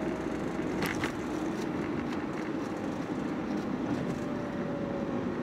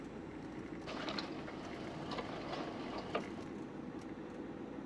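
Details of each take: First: After fitting a new lower arm and absorber link, driving over uneven road: steady tyre and road rumble with no knocks or clunks; front suspension tight and quiet, steering now straight. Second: Driving over uneven road before replacing the lower arm: scattered metallic knocks at irregular moments over steady road rumble, a worn lower arm ball joint clunking; steering also pulled despite repeated alignments, cured by a new lower arm and absorber link.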